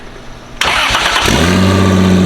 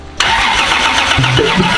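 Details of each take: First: 2JZ-swapped FRS mystery project, serpentine belt removed, loud open up-pipe: cranks briefly, catches and settles into a loud, even idle with a deep drone and no knocks; motor good. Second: 2JZ-swapped FR-S, first start: catches on cranking and runs rough, deep pops coughing back out the intake; ignition timing off, to be set with timing light.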